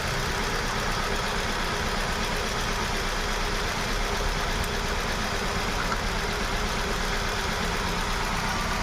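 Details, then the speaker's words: Hyundai Venue showing codes P0300 and P0301, engine light on, unstable rpm: uneven idle stumbling about twice a second, cylinder 1 dead because the ECM sends no pulse to the cylinder 1 and 2 injectors; fixed by ECM repair. "अपना जो problem है यह एक number काम नहीं कर रहा अपना।"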